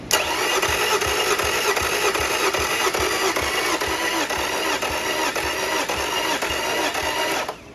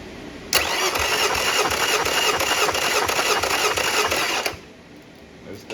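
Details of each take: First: Yamaha 50HP (T50) outboard: the last cylinder's compression test cranks steadily at about 2.5 beats a second and reads low (others 170). Owner suspects a head gasket or stuck ring and may try ring-free treatment. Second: Yamaha 50HP (T50) outboard bought off Facebook Marketplace, with milky contents and suspected internal corrosion. Cylinder 1 compression test: about three even cranking pulses a second with no firing; reads 170 psi, good compression.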